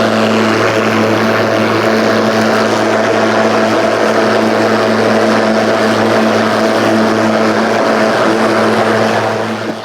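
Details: Ryobi 36V brushless mower with 46cm deck, running on two fully charged batteries in power mode through thick kikuyu grass. A steady, high motor whine and blade hum hold speed; it cuts strongly and normally.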